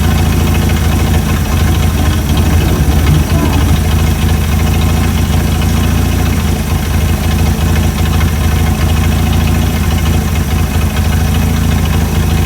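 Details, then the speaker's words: Chrysler CM Valiant with Hemi 265, second start after idle adjustment; deep smooth even idle with steady low rumble, no knocks, misses or hunting; perfect idle. "Yes, perfect idle. Right on. Right on. Listen to that purr."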